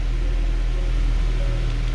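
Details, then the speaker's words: 2013 Mercedes C63 V8, 100k km, after throttle bodies refitted, fault cleared and battery replaced: cold start idle, steady deep even rumble with no knocks, ticks or hiss; normal healthy idle. "Nice. It is a cold start, by the way, yeah."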